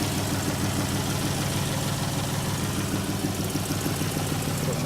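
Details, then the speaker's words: 2014 Chrysler 300 with a replacement engine after flood hydrolock, first run: even idle with a steady puffing tick about twice a second over the engine hum; exhaust leak later confirmed, temperature normal, many dash warning lights on. "got it running. Doesn't sound too bad. It sounds like it has an exhaust, but it's running pretty well."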